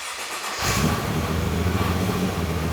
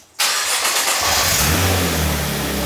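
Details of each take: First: Crash-repaired Nissan GT-R on an off-the-shelf tune with very large injectors, fuel pressure regulator vent off; starts and idles with light metallic clatter, owner attributes it to injectors not liking the tune, awaiting custom base map. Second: Crash-damaged Nissan GT-R: cold start with a crank, quick flare, then a smooth steady idle with no crackling, rattling or banging, first smooth idle since purchase.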